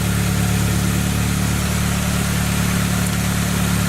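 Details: 2003 Saab 9-3 petrol engine after a no-start caused by a loose starter: even, low idle with a steady beat and no knocks, grinding or starter noise; the engine is idling normally.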